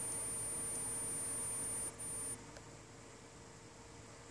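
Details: Asus GL551J gaming laptop: a steady, piercing high-pitched screeching whine that gets really loud, cuts out briefly, then stops. Swapping the memory modules stopped it for a month, but it returned.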